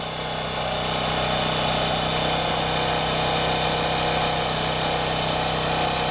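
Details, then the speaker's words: Champion generator, about 3000 hours, original spark plug, after no-start fixed by checking fuel lines: steady, even drone under load with no rise and fall in speed; owner suspects fuel distribution issue or bad fuel. "well the generator's in its regular spot under load i don't really hear any surging or anything"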